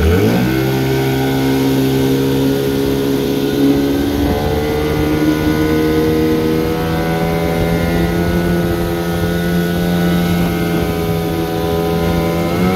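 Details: Steady, even drone climbing smoothly in forward gear with no misses or knocks. This is a 1974 Johnson 15hp outboard on a pond test after a new fuel line, plugs, gear oil, water pump impeller and carburetor tuning. Running healthy.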